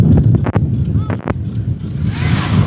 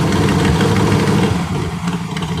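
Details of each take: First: 2021 Chris Craft Stinger 222 inboard, first start of season, after cleaning a dirty ignition-circuit fuse (now 11 volts); steady, even idle with no misfire under splashing and wind; runs smoothly. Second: Chris Craft Stinger 222 inboard V8 at idle, mic near the engine: sharp rhythmic ticking that sounds like a knock but is an exhaust manifold leak at the port-side front cylinder, likely leaking a couple of years.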